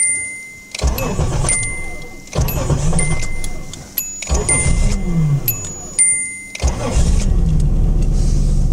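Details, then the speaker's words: Nissan 300ZX with long-standing misfire and slow starting, cranking in repeated long bursts before catching into a rough idle, on first start after a new ECU replaced a scorched one; many ignition and fuel parts already replaced. Hard start. "if you've been following this channel you may know that my car has had an issue with a weird misfire and it takes a really long time to start up and I don't really know why"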